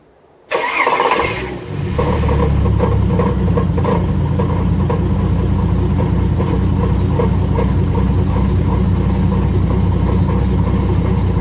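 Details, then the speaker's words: Ford BA Falcon XT Barra naturally aspirated engine with turbo, at startup and idle: loud busy metallic rattle-knock, diagnosed as a cracked flex plate rather than a rod knock. "so yep that is a flex plate my friends so yeah as gnarly as that sounds it's just a flex plate it's not uncle rodney"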